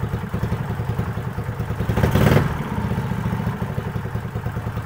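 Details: Owner's motorcycle that started cold but died and was hard to kick-start when hot, test run after valve clearance adjustment: steady, even low beat with one brief rev and no misses; fault found and fixed, it was valve clearance.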